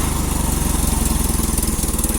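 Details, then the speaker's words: Old carbureted engine cold-started in winter, now running after the carburetor warmed and vaporizes fuel with the starting aid removed: steady, even low thump of firing strokes at constant idle, no misses or knocks; running cleanly. "so now once you've gotten the carburetor all nice and hot and it's actually vaporizing fuel you can go ahead and take that away and it'll just run again"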